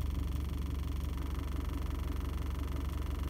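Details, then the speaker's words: 2006 Toyota Prado 120 diesel, just under 200,000 km, owner thinks it's noisy, injectors about three years old: steady even clatter at full operating temperature idle, no misses or knocks. "so now we've got this you can see full operating temperature it's idling"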